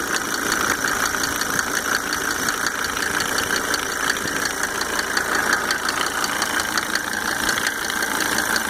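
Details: Mercedes 300D W124 2.5-liter diesel, just fitted with five newly rebuilt injectors with Monarch nozzles: light rapid ticks keep time with the idle, standing out from the normal knock; cause undetermined.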